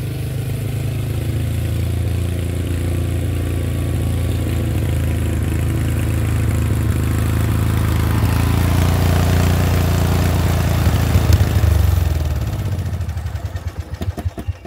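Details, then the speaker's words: 30-year-old Murray riding mower, 13.5 hp overhead-valve Briggs & Stratton, after fixing spitting and backfiring: steady, even low thump with no popping, easing down to low idle; runs healthy, with slight low-idle backfire left for carburetor tweaking. "and that my friends is how you do it no backfiring okay low idle and this thing is old this thing is 30 years old"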